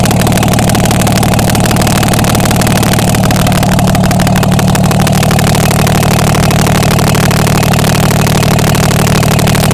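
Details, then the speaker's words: Diesel truck being checked after its turbo failed 12,000 miles after replacement, run with manifold off: steady even clatter at constant idle, regular firing beat, all cylinders firing; sounds healthy. "Sounds good to me."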